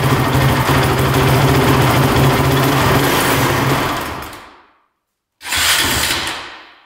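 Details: Honda TRX450 quad with a lot of top-end chatter: engine drones roughly with uneven chatter, sags and dies, restarts briefly and fades again; it bogs, won't rev out and won't keep running.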